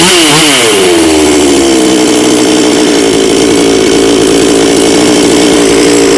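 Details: Bonto 5200 chainsaw that would not start, blamed on stale fuel: picks up quickly and holds a clean, steady high-pitched scream without stumbling or surging; normal running.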